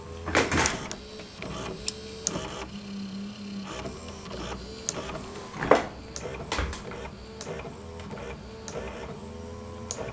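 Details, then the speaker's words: Sansui SE-9 graphic equalizer after repair, cleaning grease-fouled potentiometers and reassembling mechanism, FLAT pressed: short motor whir with light clicks as motorized sliders travel and stop cleanly; slider drive previously failed, now working. "I love precise mechanisms"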